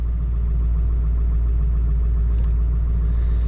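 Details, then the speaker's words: 2002 Ford F-250 7.3 Powerstroke diesel, previously running rough, missing, shaking, no power, after owner's repair: deep steady diesel idle with even low rumble, no misses or stumbles; owner thinks it's fixed, normal idle. "now she's pretty smooth i think uh you know by golly i think we fixed it"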